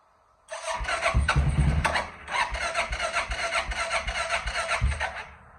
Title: 2005 King Quad 700 Hard Starting 1